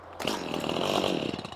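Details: Stihl chainsaw about 1 to 1.5 years old, previously ran fine then stops randomly: catches and buzzes rough for just over a second, then dies; won't stay running, owner suspects the gas.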